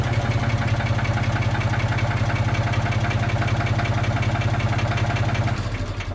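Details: Old Ford forklift engine with updraft carburetor after patching its leaks with acid, pop rivets and epoxy: even firing about four beats a second, no misses, tailing off at end; clean healthy idle.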